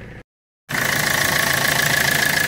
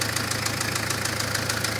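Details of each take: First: Citroën Berlingo diesel after alternator rework (new bearing on the rebuilt rotor), idling under the bonnet: steady even clatter with a faint steady whine, no rattle or chirp, alternator at normal temperature; normal idle. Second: Citroen Berlingo diesel at normal temperature after an alternator repair and an oil change (previous change about three years earlier): fast, even metallic tapping over idle, not present before the oil change. Cause unknown.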